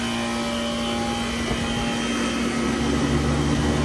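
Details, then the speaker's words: Brewery chiller after replacing the failed compressor, condenser fan motors, contactor and filter drier, with the reversed condenser fan motor's rotation corrected: steady air whoosh and even motor hum, no rubbing or rattle; fan runs normally. "yeah now we're getting the dust bowl blown at us that sounds better"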